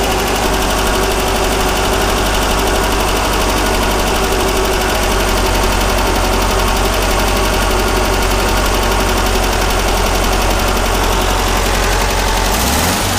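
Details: 1600cc dual-port flat-four from a 1970 VW Beetle, run before a compression test, loud steady even beat with no knocks, misses or rattles; engine sounds healthy.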